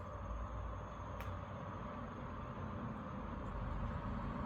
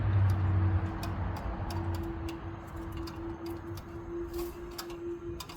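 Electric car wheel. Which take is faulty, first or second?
second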